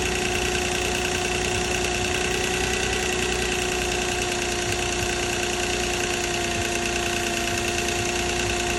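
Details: 2006 Nissan Maxima at idle: steady idle with a loose, irregular metallic chatter of roughly three clatters a second; timing chain rattle suspected, not confirmed.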